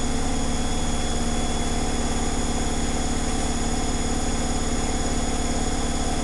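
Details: Zanussi Flexi Dose ZWG7160P washer on final spin with an unbalanced load, held around 1000 rpm instead of 1600 rpm; steady low drumming with a rhythmic thump two or three times a second.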